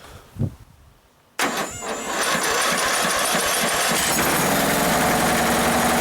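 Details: Free Toro ride-on mower with a booster pack connected: after a short silence the starter spins briskly, the engine catches within a second and settles into an even, steady run; normal cranking and starting.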